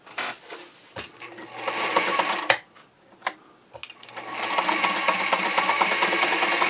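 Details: Singer 237 Fashion Mate (237M-A), as-found, dry and unserviced, at full stitch length punching holes in paper towel while testing reverse: light, uneven rattling tick of about three stitches a second with short pauses; runs but dry and clattery, needing service.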